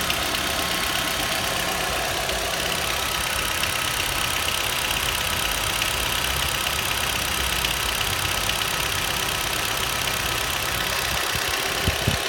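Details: Nissan Juke 1.6 HR16DE, when warming up and when hot: fast, light metallic knock around 1000-1200 rpm, absent at 800 rpm idle. The dealer calls it normal injector noise; the owner doubts this. Engine knock, cause unconfirmed.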